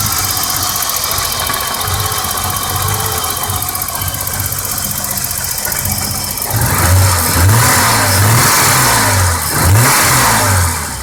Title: 1987 BMW 535is rough idle